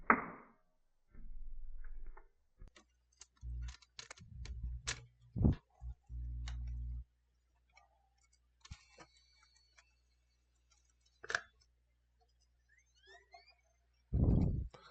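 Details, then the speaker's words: PS5 Blu-ray disc drive that wouldn't accept or eject discs, on the workbench: short small-motor whirring with light clicks as the disc is drawn in and seated after the lever was moved down; normal disc loading. "we have action as you can see it took in the disc it struggled just a tad bit but me moving that lever down seemed to have got it working"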